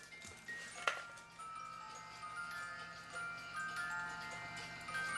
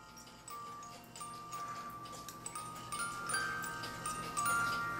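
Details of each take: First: 1985 Black Forest Regula A-25-85 cuckoo clock with a two-tune music box, after movement cleaning: the clock ticks steadily but the tune is only a faint thin tinkle. The music box output is far too quiet. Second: Regula A-25-85 Black Forest cuckoo clock (1985) music movement after the worn comb was moved closer. A bright chiming melody plays over soft clockwork ticking as the Music Man rod works, then slows and winds down to a clean stop; healthy movement.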